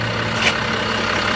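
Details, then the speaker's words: 2014 Range Rover Sport 3.0-litre with Brembo brakes, after cleaning and anti-squeal paste, brakes at operating temperature: even road and engine hum through gentle stops with no squeal or grinding; brakes now quiet. "also die bremse ist schon betriebs war wir hören ja gar nix"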